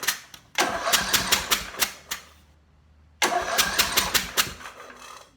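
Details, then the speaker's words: Portable generator, 4-stroke, spark plug removed, synthetic oil dropped into the cylinder for storage, finger over the plug hole: two bursts of quick, light cranking, no compression thump, no firing. "I'm going to turn it over, leaving not light pressure on that hole so some can come out if it wants to come out."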